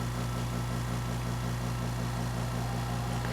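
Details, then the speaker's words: Compressor powered by a DeWALT DCB1800 1800 W battery power station, its cooling fan audible, running again after a battery was pulled and reinserted: even low motor hum, fast steady pulse, fan whir on top, no stalling; normal running. "Wow, did you hear this thing's got a fan on it? Yes. So it's actually cooling."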